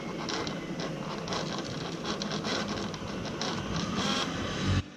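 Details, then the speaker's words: 2004 Yamaha V-Max V-Boost servo heard with ignition on; whirs and ratchets briefly only after twisting the control box, then stops; intermittent operation, suspected solder or connection fault in the box. "you hear that so it's definitely started working once i twisted this box"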